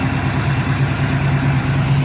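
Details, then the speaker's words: Monte Carlo with new 350 V8 crate engine (355 hp, 370 lb-ft, cam .480 lift, 280 duration), TH350 transmission, about 2,000 miles past 1,000-mile break-in: deep, steady, smooth rumble with no misses or knocks; normal idle, running good. "and she's running good."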